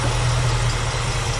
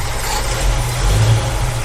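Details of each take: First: 1965 Ford Mustang V8 with Edelbrock carburettor after cleaning the blocked idle passages with wire: smooth, even low idle rumble with steady beat and no misses; normal idle after repair. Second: 1965 Ford Mustang with Edelbrock carburettor, V8 idling on only a few cylinders: lumpy, loping, shaking idle that nearly dies when one side is sprayed; suspected blocked idle circuit on the other side.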